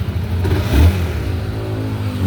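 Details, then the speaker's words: Honda CBR engine revving cleanly with a smooth low drone after the clacking noise, which the owner blamed on a clutch cable replacement, was traced to a loose spark plug cap and refitted; no clacking left, engine healthy. "Yun boss, okay na yung ano mo, CBR. Wala na yung lagatak."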